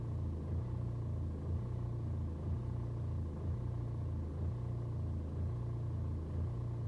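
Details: BMW 120d with N47 diesel, cold start: revs fluctuate, surging and sagging about once a second for over 2 minutes with a steady low drone, no knocks; rough hunting idle, gone on warm restart, no scanner codes, cause unknown.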